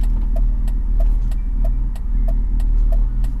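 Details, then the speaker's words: BMW E46 after fitting Revshift 95A polyurethane engine and transmission mounts: a low droning cabin vibration once the engine settles to its final idle around 700 rpm. It is mild and increases with AC on, passed through the stiff mounts. "hear that little vibration now there we go nadz little bit of vibration it seems like once the engine lowers down to its final idle about 700 rpm we're getting some vibrations down here but it's not that bad"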